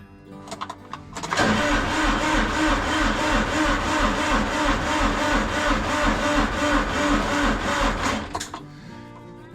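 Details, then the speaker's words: Massey Ferguson GC2300 diesel tractor at -26° cold start, known cold-blooded: starter turns engine over slowly, about three beats a second, for several seconds without firing; no-start, later tried with charger direct to battery and more glow plugs. "It ain't gonna go. I have to go get my jumper."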